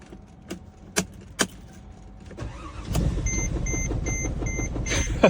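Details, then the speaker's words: Car started again with a VTOMAN X7 jump starter on boost, battery too weak to start on its own: a few clicks, then the engine catches and settles into a steady idle with faint beeping over it, normal start. "After 4 fill it up, after 10th attempt to turn it on the car, it jumps right up."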